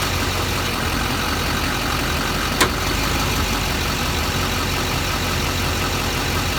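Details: Newly built Allison 1000 transmission (about 2 months, under 1000 miles) with billet triple-disc torque converter and billet input shaft, in LBZ Duramax 4WD at steady diesel idle: sharp metallic clunk shifting park to reverse and back; transmission shift clunk.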